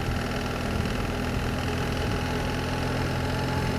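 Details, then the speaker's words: BMW R1300 GS Adventure boxer at idle: steady rumble with fast light ticking clatter; rider suspects tappets need adjusting, sounding like they're smashing on the outer casing. "I think this definitely needs good tappets doing. And they're smashing themselves on the outer casing there. That's what it sounds like."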